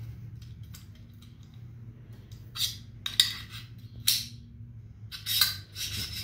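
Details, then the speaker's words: AR-15 upper receiver sold as mil-spec but not anodized, with a standard charging handle and bolt carrier group installed: harsh metallic scraping in four or five strokes as the handle is cycled; charging handle grinding in an off-spec receiver. "that grinding? Yeah, that's not mil-spec. This is not anodized. I don't know what this crap is."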